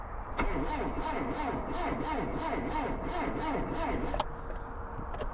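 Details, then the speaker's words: 1977 Triumph Dolomite, an abandoned car, cranking on a fully charged battery after the wiring was cleaned up: the starter drags the engine slowly, about three labored turns a second, then cuts out; the owner suspects a failing starter. "okay right so the starter is on its last legs I think is what's happening there it's not spinning the engine very quickly at all"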